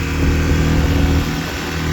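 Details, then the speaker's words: Kawasaki KLX300 on a test ride after the rattling plastic panel's bolts were refitted: steady single-cylinder throb with no panel rattle. "Let's test drive it yeah no issue now no rattling or anything that's awesome"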